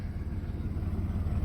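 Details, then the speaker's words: Flood-damaged $450 Chevy S10 Blazer finally running after Passlock trouble: low, steady idle rumble with even pulses, no misfire, slightly smoky, known coolant leak at thermostat housing gasket; healthy-sounding engine. "Oh, it sounds so healthy. I am aware of the coolant leak at the thermostat gasket, housing gasket. I mentioned that earlier on in this video. She finally runs. I cannot believe it. And it seems to run really well. It's not misfiring or anything like that."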